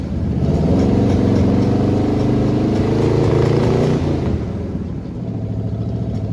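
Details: 1979 Jeep J20, original AMC engine, dual exhaust, low compression, on a quart-can fuel supply: revs up then drops to a lumpy, stumbling idle with an uneven beat, misfiring from weak compression in some cylinders.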